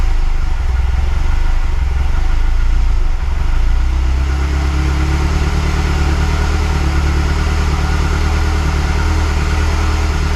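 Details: Mazdaspeed6 engine, freshly rebuilt with honed cylinders, at first start-up after rebuild: a deep steady idle with smooth pitch rises when revved. It runs cleanly.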